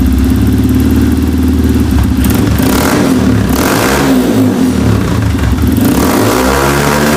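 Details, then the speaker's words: Honda 150F dirt bike on the stand after carburetor rejet (needle clip, washer under needle to richen mid-range); sharp single-cylinder revs, faint top-end burble, owner thinks rev limiter; normal revving. "That sounds pretty good for just sitting on the stand. Kind of got a little gurgle on top end, but I think that's the rev limiter kind of somewhat kicking in."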